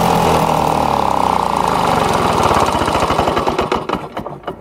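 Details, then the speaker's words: Lawn-Boy two-stroke mower with newly installed air vane governor, on high speed: steady but lazy loping beat that sags near the end; governed speed too low, more spring tension then added by turning collar counterclockwise. "wanted to be running faster on high-speed so I'm gonna do the same thing lift up that caller I turn it counterclockwise to apply some more catch into that string just like that"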